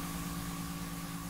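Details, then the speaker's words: PS5 console fan running normally, recorded with a very sensitive microphone at the vent slots and audio heavily amplified; steady even whir with low hum and faint fixed high tone, no rattle or surging. "das ist jetzt das normale lüftergeräusch"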